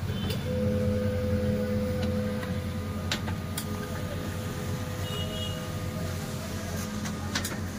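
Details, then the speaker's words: HP LaserJet M1005 printer feeding paper while the display asks to use available media or load plain A4 in the tray; steady whirr with gritty, rasping grinding and occasional clacks from worn drive gears. "तो दोस्तों इस प्रकार से ए 1005 printer के गेरो की आवाज आ रही है"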